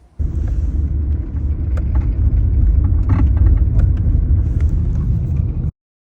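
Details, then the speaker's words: VW Jetta driving: scattered sharp clicks and rattles over steady road rumble; suspension rattle, owner's best guess is worn sway bar end links, recorded before replacing them, not confirmed. "My car is really rattly. I have a clip that I'll put right after this to see if you can hear it, but I hate suspension noise."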